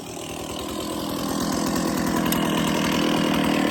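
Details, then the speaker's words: Stihl 024 chainsaw after carb tuning and makeshift aftermarket air filter, refueled, started without choke; two-stroke buzz climbs smoothly and holds steady without stumbling or bogging; sounds good; normal running. "Just gonna run it, guys. Sounds good to me."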